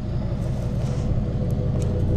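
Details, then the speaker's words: Daily-driven Colorado: deep, steady low growl at idle, even beat, no ticks or misses; running smoothly. "but that's it has a pretty good deep growl to it"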